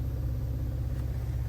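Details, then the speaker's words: Ford Ranger Raptor after an S&B intake install, idling in drive: deep rumble with a fast buzzy rattle that worsens with a little gas and stops in neutral, park and reverse, caused by a loose bolt on the truck's intake mounting bracket. "I mean, here's on the gas. You hear the rattling now. I'm going to put it in neutral. Rattling stops the drive. Rattling noise again."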